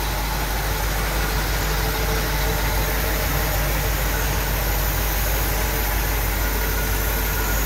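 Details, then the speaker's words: 1964 Chevrolet Impala SS with a 327 V8 still on its ram horn exhaust manifolds. Deep, even idle burble with no ticks, knocks or stumbles; a smooth-running engine. "And underneath the hood, as I mentioned, it's very smooth running 327."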